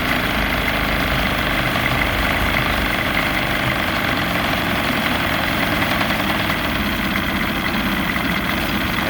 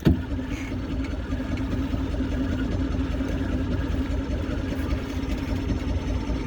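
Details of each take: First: Vintage barn-find boat outboard on its first run in 20+ years, idling on the water: a steady, even idle with no misses, surges or knocks over water and wind noise. Normal idle. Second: Vintage outboard on barn-find boat, first start in about 20 years, on choke: starter churns steadily for seconds with no catch; cranking, no start, apparently not getting enough fuel.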